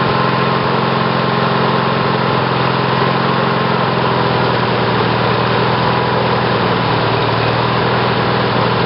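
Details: Briggs & Stratton 18 hp twin OHV engine (model 822707), first run on LS2-coil ignition triggered by failed magneto, white vapors seen from carburetor at cranking; fast idle chugging, slightly uneven with loose rattly note; rough running, timing possibly early.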